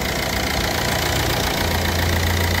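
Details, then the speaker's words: Ford Fiesta 1.4 diesel after service with filters changed: steady, even diesel clatter at idle with a smooth low rumble and no odd knocks; engine sounds healthy. "yaklaştırıyor motorun sesini dinleyin araba güzel oldu değil mi mi"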